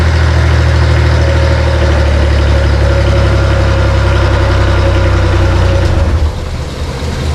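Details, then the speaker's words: Bomag BMP 8500 compactor diesel, cold start, after earlier fuel filter change: low uneven idle sags and dies; throttle linkage set too low, needs more throttle to stay running. "after running it I found out that we need we need more linkage because it it needs it needs more throttle to stay running so I'm going to add more linkage and we'll go from there"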